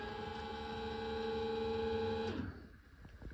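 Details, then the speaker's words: Car being revived after three years, power window closing: steady electric motor whir at even pitch for about two seconds, then stops cleanly at the limit switch; normal power window motor. "Still holding it down. It does stop on its own when it should, which is great to those limit switches."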